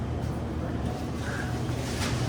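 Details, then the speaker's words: Commercial prep table not cooling, thermostat clicking fine: at the condensing unit only the condenser fan motor whirs with no compressor hum despite a call for cooling; a "click of death" follows, suspected bad starting components, discoloration seen. "Let's see if our compressor's running. I don't hear it. I hear the condenser fan motor."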